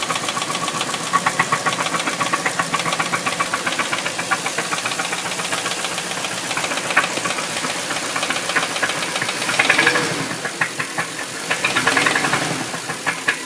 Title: bruit moteur v8 4litres